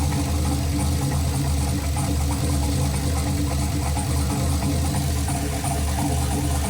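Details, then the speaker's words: Holley Terminator X–managed turbo LS in a Chevelle on its first start-up, closed loop pulling 31% fuel: deep, lumpy, wavering idle that shakes unevenly; running rough because the fuelling still needs tuning. "pretty shaky it needs to be tuned further obviously"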